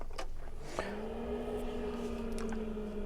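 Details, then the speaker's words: Planar diesel heater in VW camper, started at half power for 30 minutes via new Autoterm Comfort controller: small fan spins up to a steady even hum for the 2-minute purge cycle before ignition; normal. "know if you can hear, but the fan's purging now. It goes through a 2-minute cycle before it fires up."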